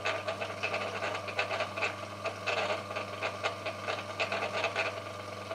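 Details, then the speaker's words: FAAC 770N underground electric gate opener, failed after about a year in service, run briefly before teardown: steady low motor hum with irregular rasping grinding bursts as the motor struggles with very limited power in one direction; it won't turn the other way. "I can hear something grinding in there and you can hear the motor struggling struggling to go"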